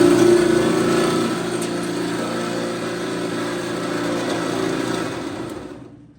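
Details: Brada clothes dryer (made by Frigidaire): a loud steady droning hum with a quick throb that fades as it winds down. The belt (part 134503600) had come off its track, so the idler pulley was free-spinning and making the noise.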